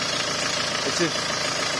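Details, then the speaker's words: Peugeot 306 2.0 HDi diesel after replacing the noisy alternator belt tensioner: steady, even idle with no whine, chirp or chatter from the belt side; the repair fixed the noise. "now and the new tension is there running away not too bad not not a bad job"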